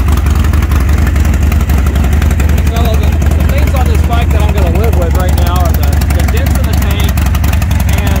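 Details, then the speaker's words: Salvaged 2020 Harley-Davidson Roadster XL1200CX at idle: a deep, loping V-twin with an even beat and no knocking or rattling, running great; the check-engine light is on, suspected from the reconnected speedo and dash wiring. "it runs great and uh i'm going to take it in like i said the check engine light is on"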